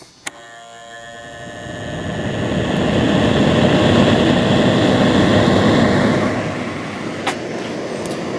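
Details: Fan on a Whistler 100 W cigarette-lighter inverter, 12 V in and 115 V out (nominally 60 Hz, probably modified sine wave), drawing about 20 W, the same as on line power. As it spins up, the air rush carries a steady raspy buzz and hum typical of a modified sine feed.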